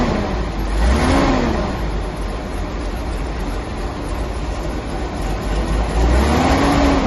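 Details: 1983 Datsun 280ZX that sat 18 years, now on twin SU carbs, driving on the road: engine pulls smoothly, note rising and falling evenly with throttle, no misfire, stumble or knock; running fine.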